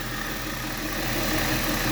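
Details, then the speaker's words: 2002 Chrysler Sebring convertible 2.7L V6 at idle after oil pressure sender wiring repair and belt tightening: faint uneven chirping squeal over even idle; owner suspects a pulley bearing starting to fail. "I tightened up the belt which means there probably one of those bearings is getting ready to go out in a pulley or something"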